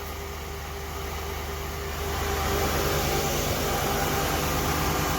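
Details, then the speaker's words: '82 Ford LTD after a carburetor rebuild, idling: an uneven, lumpy beat about three times a second and heavy shaking, with no leaks seen. Rough idle. "okay first let's make sure it's not leaking anything and i don't see any it seems like it's shaking quite a bit"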